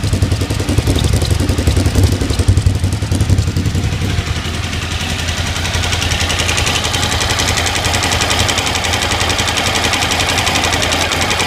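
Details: Suzuki TL1000R V-twin motorcycle idling: light, quick ticking riding over its low, lumpy beat; engine ticking at idle.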